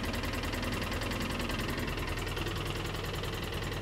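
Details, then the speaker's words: 2013 Polaris Ranger idling: runs normally until the injector wire is moved, then the tone changes to an uneven stumbling beat about three times a second and the engine light comes on; misfire from a broken injector electrical connection (code 651). "but if we move the injector wire you can hear that tone change and the fact that we are moving the wire the engine light just came on we can hear there is a difference so our problem is an electrical connection"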